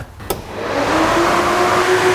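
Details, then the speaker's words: Truck's electric cooling fans switched on from a dash switch, wired through high-amperage 2-pin connectors; fans spool up quickly into a strong steady rush of air with even hum, pulling lots of air; normal cooling fan operation. "I'd say they're pulling some air pulling the shirt right off me"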